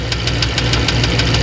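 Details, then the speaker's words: 1994 Astro van at idle, oil pressure around 40 with a fluctuating gauge. Sharp, even ticking about seven a second over the idle rumble; owner suspects a balance shaft clunk or tapping, not confirmed. "Now, there's a clunking inside the engine that I think may be the balance shaft. And that noise you hear could be a tapping."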